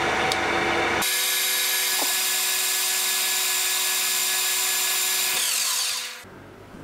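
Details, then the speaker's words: Old, long-used machine centre-drilling for a blind tapped hole: steady harsh high whine and rough hiss under load as the spindle turns; worn bearing noise. "you'll hear plenty of bearing noise from this old girl he's done lots of work there's no spring chicken that gets the job done"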